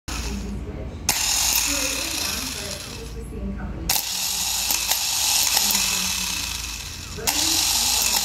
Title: bad starter